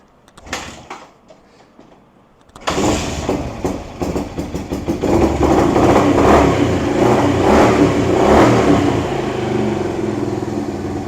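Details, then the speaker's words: 1978 Kawasaki KL250 single after cleaning the points, static timing and fitting a new fabricated exhaust; kickstarted cold on full choke: fires after a few kicks, settles into a steady even beat and revs cleanly; runs healthy. "Sounding good. Hasn't warmed up yet, though."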